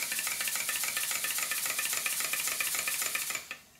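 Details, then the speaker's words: Stuart Models steam plant Southworth duplex pump, unloaded test after resetting valve timing: quick hissy chuffs near four a second, slightly uneven, still skipping at low speed; valves not yet adjusted equally side to side. "a lot better it's still skipping a little bit at lower speed but then again I haven't adjusted the valves as you can see at the top they're not the same at both sides"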